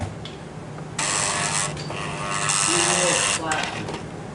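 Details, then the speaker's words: 2003 GMC Yukon stuck in 4-low; the customer reported a noise in 4x4. A thin whirring shift motor runs in bursts of a second or two while the indicator lights flash, but there is no engagement clunk. The transfer case never switches. "Billy say - Millis flashing and all we hear is this motor okay they quit flashing but it did not switch"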